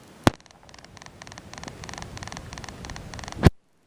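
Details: Sony Bloggie Touch camcorder: rapid bursts of thin, high internal clicking, about four a second, picked up by its three built-in microphone holes on the top left, with dull handling thumps; covering the holes changes the clicking.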